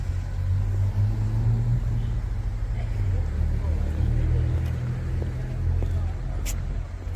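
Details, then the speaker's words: Jaguar XK on winter road trip after repair work with new parts: smooth steady low road rumble at cruising speed, previous droning bearing noise gone: normal cruising. "And the main thing that I'm really pleased about is the lack of droning noise. The horrible bearing noise is gone, which I'm absolutely over the moon about."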